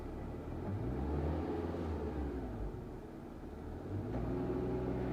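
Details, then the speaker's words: Honda Amaze CVT, after a cleaning fix for unwanted noise and RPM fluctuation, AC on with fan on low: engine rises smoothly on each blip and settles to a steady idle without hunting; rpm now stable, normal revving. "अब देखो RPM बिल्कुल stable है अब मैं थोड़ा race देता"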